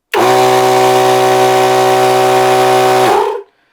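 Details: Maxi Trac Thumper Max II 12 V air compressor after wiring upgrade with direct contactor replacing PCB, about 0.1 V drop: strong, even motor and pump hum holds steady pitch three seconds, then winds down cleanly; normal under load.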